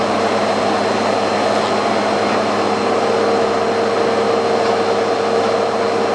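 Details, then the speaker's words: Bissell PowerForce Turbo vacuum after fitting a new brush belt and clearing wound-up debris: steady even motor roar with constant high whine and no knocks or scraping; runs normally, just needs cleaning. "all ready to go just needs a good cleaning and vacuums a-okay"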